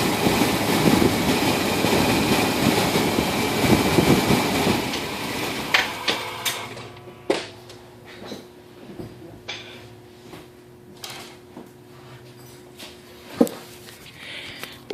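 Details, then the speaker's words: Engine idles steadily, then cuts out abruptly around five seconds in after the crankshaft position sensor is barely tapped once, leaving only light taps; camera in front of the vehicle; faulty crank sensor causes the stall. "Wow, that was quick. I barely tapped it one time and that engine turned off."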